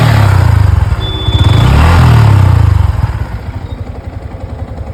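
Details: Yamaha MT15 at 73,853 km after an engine rebuild for crank noise: it fires and settles into an even, quick thump, revs up smoothly and drops back cleanly with no bottom-end knocking; the rebuilt engine sounds healthy.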